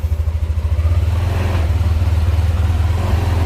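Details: Yamaha NMAX keyless scooter, under a year old, left unused two weeks and tested after the battery problem: a steady, even low drone with a soft regular pulse about three times a second. There are no knocks or rattles; normal running.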